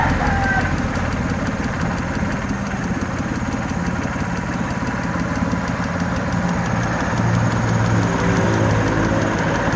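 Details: Suzuki F6A EFi three-cylinder (multicab) at steady idle with quick even ticking, about three or four a second, from the fuel injector.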